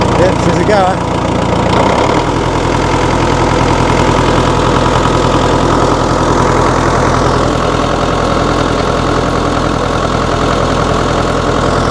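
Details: 1960 Massey Ferguson FE35, 4-cylinder diesel, first start after sitting long in a paddock with fresh battery, oil, water and fuel: cranks briefly, catches about two seconds in, then settles into a steady, even diesel idle clatter; normal.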